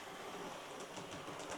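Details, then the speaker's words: Hornby R2730 LMS Stanier Class 4P model loco, power on after repair (split drive gear replaced, intermediate gear filed and repositioned): quiet even whirr, light regular wheel clicking, no catching or grinding; steady 100 mA draw, running smoothly. "Okay, power on. That seems better to me. What's the ammeter saying? A very steady 100 milliamps."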